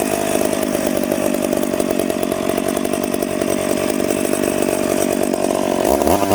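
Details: Piped McCulloch Pro Mac 850 two-stroke chainsaw cutting two-year-seasoned oak, tuned ragged-edge lean: strong steady high-revving scream held evenly through the cut, crisp and clean at about 10,300 rpm; healthy.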